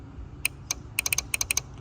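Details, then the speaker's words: Jeep TJ horn relay removed from underhood fuse box, bench-tested with power and ground on coil pins: sharp crisp clicks as coil energizes and releases; relay good. "Our relay is good. Yay!"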